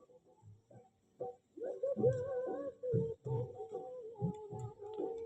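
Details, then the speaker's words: Sony 2200 W music system cassette player section under repair: music plays dull and boomy with no high frequencies, head cleaned but not seating in the correct position, indicating a misaligned playback tape head. "Sound तो बहुत खराब आ रहा है इसके अंदर यार। बिल्कुल भी हाई फ्रीक्वेंसी तो आई नहीं इसके अंदर।"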